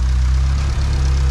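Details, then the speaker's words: Honda D16Y7 non-VTEC head with VTEC cam and VTEC locked, valve lash freshly set, idle control valve turned up, not yet warmed up or tuned: steady even idle, no valve clatter, only noisy injector ticking; normal idle. "not too ticky without the rav lash right on the first try I just tightened it all I loosened all the specs up and it doesn't sound like it's ticking except for the injectors the injectors are very noisy I'm thinking overall sounds pretty good"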